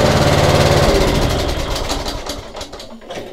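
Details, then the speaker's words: Riding lawnmower jump-started with a Gooloo GP4000 lithium jump starter: quick crank, then small single-cylinder catches and runs with steady rapid putter for a few seconds; normal start and run. "and yeah I only kept it running for a few seconds so you can see this device had plenty of power to start this mower"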